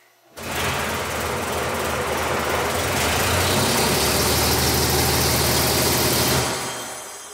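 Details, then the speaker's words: Nissan 350Z track car (500hp naturally aspirated) with KERS hybrid system, engine spun by electric motor at about 200 rpm then toward 800 rpm, injectors and ignition not fired, no fuel tank: smooth even whir without firing pulses, motored only. "you can hear it sounds like a normal engine but I can assure you there's no gas tank in the car that was not the engine running that was just a motor spinning it"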